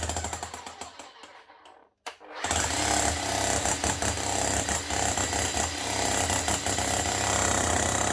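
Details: Bosch GSH 11 E 240 V hammer after repair with an aftermarket AliExpress copy armature and fresh grease: after a brief stop it settles into strong, even, rapid slapping with no grinding or missed blows; healthy hammer action.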